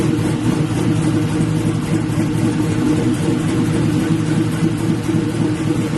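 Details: LS-swapped Black Haven Buick Regal V8 after a thermostat change and coolant refill, leak check: steady, even idle with light throttle blips, no tapping or misfire; "sounds pretty good", healthy.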